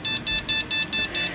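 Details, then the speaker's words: Rapid, steady high-pitched beeps, about five a second, from a beeper speaker on the motherboard's 4-pin speaker header of a PC that runs with no display; this beep code indicates a RAM fault, fixed by swapping in a good RAM stick. "বিপটা এই ধরনের beep যদি আপনার কম্পিউটারে দেয় এই বিপার লাগানোর পরে তাহলে বুঝতে হবে আপনার র‍্যামের"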